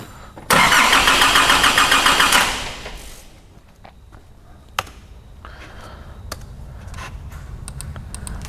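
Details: 2005 Nissan Navara D22 ZD30 3.0 turbo diesel, rotary pump: about two seconds of steady cranking, roughly three and a half pulses a second, while checking the crank sensor signal (working fine), then drops off without firing; no-start, cause not confirmed.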